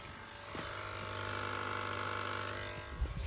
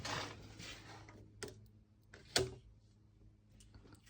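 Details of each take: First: UF100 milling machine, being converted from 400V to 230V, at its first power-up. A contactor gives a steady low electrical buzz with fast chatter. The cause was a wiring error: 12 V was supplied instead of 24 V control voltage, so the transformer output was too weak. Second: UF100 milling machine converted from 400V to 230V single-phase, first power-up after correcting the 0V/24V control wiring: two sharp, crisp clacks as the contactor for the XY axis line pulls in cleanly; normal contactor operation.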